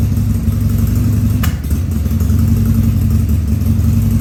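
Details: 2000 Harley-Davidson 1200 Sportster V-twin on its first start after a carb rebuild and leak repairs, with no air cleaner on: a lumpy idle with an occasional sharp pop and stumble, coughing as it runs a little lean.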